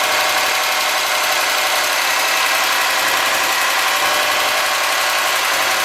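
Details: '03 Subaru Forester, 178k miles, ~150 miles after head repair for a dropped valve guide, cold idle: quick light regular ticking from driver-side front cylinder exhaust valve, clearance .029 vs about .010; adjusting it removed the noise.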